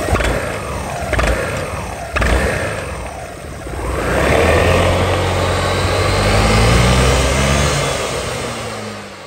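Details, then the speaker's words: Honda SH300i 2020 scooter on its original clutch before repair, pulling away with a shuddering, uneven rev rise, light rattle and early rev ceiling; the clutch linings are worn through and the bell scored, causing CVT judder at take-off. "đầu lá nó hơi thú này là mu zin đi anh em kêu lông c l c l c luôn"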